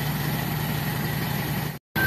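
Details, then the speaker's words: Toyota 4K engine idling after timing chain replacement: steady, even low idle hum with no rattle or tapping from the front; the timing chain noise is gone, chain sounds quiet and healthy. "Yan oh. Yan oh, ayos na mga kabumrom. Wala na yung ingay yung timing chill."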